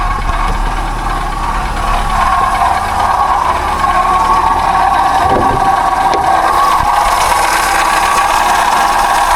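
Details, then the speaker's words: Auction car with very little coolant: a rough, noisy idle with a steady whirring drone and light rattle. A dry water pump, probably leaking coolant, not the timing chain. "Oh, she's noisy. She's noisy. She's got very little water in her. Let's turn this off a minute. Right, so what we're hearing there is a dry water pump."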